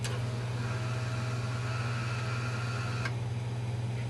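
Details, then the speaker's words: O-84 (4A084) engine converted to fuel injection, engine stopped, about 75°F: fuel system and ECM switched on, steady low electric hum of the fuel pump priming before starting; normal. "okay so right now I'm gonna turn the fuel system and the ECM on you'll hear the pump start up"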